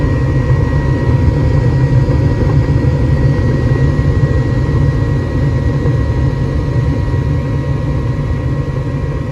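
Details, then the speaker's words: Home gas furnace, checked for a suspected bad igniter after it was shutting off before heating: after igniter glows and gas valve clicks open, burners lit; steady low roar with faint even hum, blower running normally, no rattles. "then we're going to hit another click turning the gas on pretty soon there you go there's that click open the gas out and we got"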